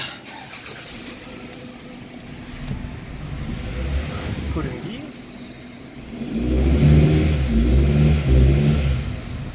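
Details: Toyota RAV4 running rough, bad idle, no power, stalling under any rpm, even without a warning light: revs unevenly with lumpy stumbling misfire, caused by an internally shorted ignition coil.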